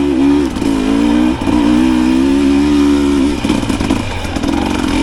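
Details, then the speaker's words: 2025 Husqvarna TE300 TBI two-stroke on a dirt hill after ZTM ECU remap: crisp note holds steady, dips briefly, then climbs smoothly under load with no stumble or bog; clean idle and smooth rev climb. "Another little bit of hills just so you can hear how cleanly that idles and climbs after the mapping."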